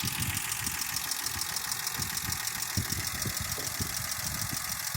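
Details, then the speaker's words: Toyota Mark II 1G-FE, smoking, breathing oil and knocking, now warmed up: lumpy, uneven idle with irregular thumps around 200 a minute, shaking from the fourth cylinder with low compression causing a misfire. "и он начал трястись. Дрожь началась из-за четвертого цилиндра с пятью рычагами."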